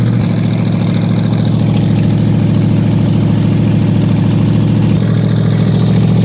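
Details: Toyota 1UZ-FE V8 race car engine, first run in years after owner's own rewiring and calibration: deep, steady, even idle with no misses while warming up, rising slightly; deafening when revved; normal idle and revving.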